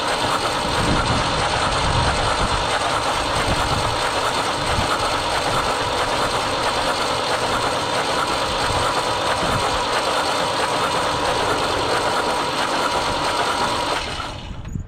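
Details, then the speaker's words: 1974 Ford 3550 industrial tractor, stuck engine freed with vinegar, hot-wired with a jump pack and cranked with plugs removed: long run of fast ratchety cranking, about three beats a second, no firing; milky fluid expelled, no spark. "We're gonna power the starter and let it crank over for a minute."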